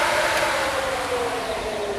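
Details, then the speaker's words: Electric cooling fans (replacing the mechanical fan) run on after shutoff with the ignition on or in accessory, keeping cooling until the temperature probe reads under 165; even steady whoosh of air, no engine and no rattle, normal run-on. "right you can hear the fans still running in the background this thing will keep running until the temperature of the temperature probe is under 165 so as long as your car is on or on accessori then it'll continue to cool your car until the temperature reaches the bottom of that range of the temperature probe that you'"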